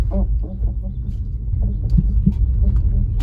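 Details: Tesla Model 3 front suspension, repeated low groaning creaks heard from under the dash at low speeds over bumps and road imperfections; worn upper control arm ball joint, confirmed by Tesla techs and fixed.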